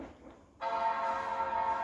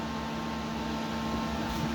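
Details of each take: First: Late 2005 Power Mac G5 (2.3GHz dual-core PowerPC) restarting after installing updates to Mac OS X 10.5.8 Leopard: quiet, then a clean sustained startup chord rings out, a normal power-on chime. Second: Late 2005 Power Mac G5 (2.3GHz dual-core, GeForce 6600), woken from sleep: screen stays blank and fans run at full speed, a loud steady rushing whoosh with constant hum like an airplane; possibly failed RAM.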